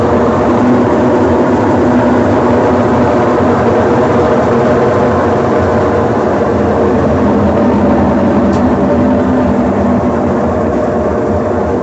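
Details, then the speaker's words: Consul Facilite CWG11 washing machine during spin: loud steady turbine-like roar and hum from failed drum bearings, which must be replaced along with the seal and related parts. "esse defeito aqui é o problema de mecânica tem que trocar os rolamentos certo"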